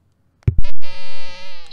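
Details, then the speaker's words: Tidradio TD-H8 2nd Gen ham handheld while transmitting: a couple of sharp clicks, then a steady buzzy whine with stacked overtones whose pitch and intensity change when touching the battery contacts; spurious transmit noise, cause not confirmed. "you get that goofy noise and the pitch and the intensity that noise changes when you touch the contacts on the battery"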